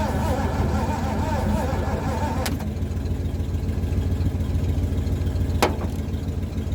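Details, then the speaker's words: Abandoned Mercury, sat 13 years, boosted from a truck; steady cranking at about three to four turns a second, never catching; crank no start, no spark seen, disconnected wiring found on the ignition module. "I still don't really see any spark. Let's see here. So I noticed some wiring disconnected on the ignition module over there."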